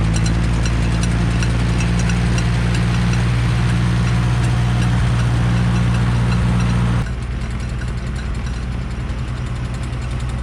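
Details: Late-1960s Smyth Welding three-point snow blower driven in winter cold, choke almost full: low, labouring chug around 220 beats a minute that drops and thins out; suspected blocked or frozen fuel line or iced carburettor, not confirmed.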